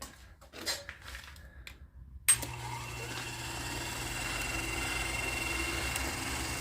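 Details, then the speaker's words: Vintage Chicago Machine and Tool Company horizontal milling machine, all gear driven with canvas belt drive, possibly original motor: after a sharp start it settles into a smooth, even, quiet hum and light whir with no knocks or grinding; normal running. "All gear driven. Not many safety features on this. Start it up for you guys. She runs quiet."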